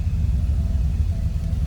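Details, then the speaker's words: 1968 Ford Galaxie 500 sedan, 302 V8, stored indoors, starts easily; deep, even low rumble with no knocks or ticks, smooth V8 settling into idle after cold start. "Let's fire it up. Oh, easily that 302 starts."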